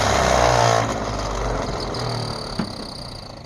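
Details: 1948 Ford F5 bus abandoned 25 years: slow, labouring crank at three to four beats a second with no firing; owner suspects a weak battery, considers running a charger while cranking; an earlier attempt backfired. Extended cranking, no start.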